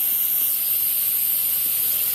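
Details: Instant Pot-style pressure cooker after the water test, valve moved from sealing to venting for quick release: loud continuous even steam hiss, normal venting until the silver pin drops.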